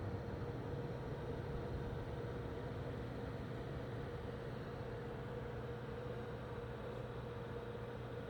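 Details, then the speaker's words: MSI MAG CORELIQUID 240R AIO cooler at full CPU load (68-70°C): steady loud pump hum with an intermittent whine over rushing, noisier than expected; trapped air in the pump suspected, may clear after hours of use. "So there's like two. There's hear that whine, kind of comes and goes, and also just in general. Just this kind of operating noise."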